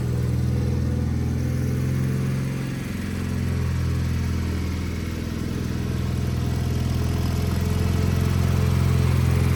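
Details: Wheel Horse 520H hydrostatic garden tractor, revived and running on its own gas tank during a test drive; steady low single-cylinder drone at even speed with only a brief dip, normal running.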